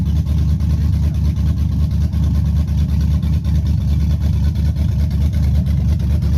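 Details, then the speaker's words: Chevy truck 5.3 V8 after bent-rod repair with Summit pistons, stage 1 cam, TBSS intake and 90 mm throttle body: deep, steady, lumpy idle with rhythmic cam lope that rocks the truck, no knocking. It runs healthy. "I might try to get the staff to get this specs on this cam it sounds good"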